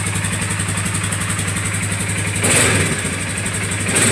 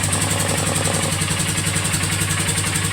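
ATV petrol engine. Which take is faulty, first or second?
second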